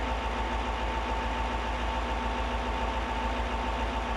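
Steady, even diesel idle with a low regular pulse of about 140 beats per minute and no knocks or misses; runs healthy.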